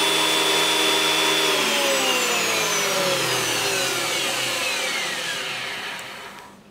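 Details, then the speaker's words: JET JWP-12 12-inch benchtop planer, first test run after reassembly, no load: even high-pitched motor whine with no knocks or rubbing, winding down smoothly; motor and cutterhead sound healthy. "So sekarang ni kita test run, try on kan lah. First time on, kita dengar bunyi dia macam ni"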